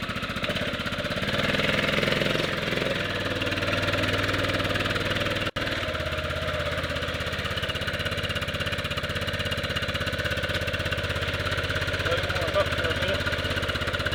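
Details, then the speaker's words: 1998 Yamaha Grizzly 600 single-cylinder ATV just rebuilt with replacement wet clutch and reinstalled one-way bearing: steady idle with slightly labored uneven beat, owner says it idles a little hard, sounds like choke on; cause unconfirmed. "Does kind of sound like it's idling a little hard."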